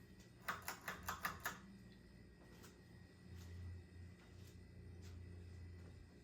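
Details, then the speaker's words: Late-1980s CEC Newport 42-inch ceiling fan on medium, a fan prone to stalling. Near silence, with a faint steady low hum and switch clicks. Normal running. "it's making like a very deep hum every x amount of seconds it's pretty much dead silent"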